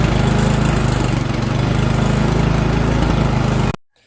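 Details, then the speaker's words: Poulan Pro snowblower, 9.5 hp Briggs & Stratton single-cylinder, after carburetor cleaning, electric start with primer: strong even putter at steady speed, no hunting or missing; runs smoothly. "Alright, it's up and running really nice."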